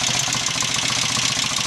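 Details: 750 Royal Enfield Interceptor MK1 twin after carburettor work (had kicked back and run on one cylinder; 25 pilot jets, 380 mains, 3.5 cutaway slides, mixture screws rebalanced): steady even idle, no spitting back or hesitation; running cleanly and healthy.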